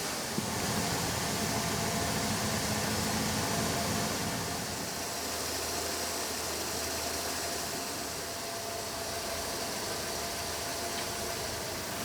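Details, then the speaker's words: 1998 Ford Escort revived after sitting for years, idling for about 10 minutes: steady and even with a faint hiss, no valve ticking and no misfires; it also drives fine. "now we're going to let this thing run for about 10 minutes or so if you hear it there's like no valve ticking chatter I mean there's no misfires drives totally fine runs totally fine"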